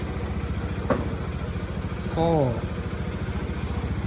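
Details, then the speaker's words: Honda Scoopy-i scooter that started but wouldn't rev, ticking on acceleration, after ECU box replacement; steady even putter at idle with no ticking or stumble, running normal again. "โอเคเปลี่ยนเสร็จแล้วไปเราสตาร์ทเครื่องยนต์ตาดูดิโอนะครับกันตาเล่นกลับมาปกติแล้ว"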